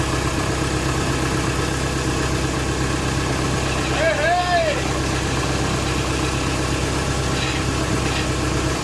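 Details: VW AHU TDI diesel on garage floor before fitting into T25/T3 camper, started cold, not accelerated: ticks over steadily with an even, unhurried clatter and no misses or hunting; running normally.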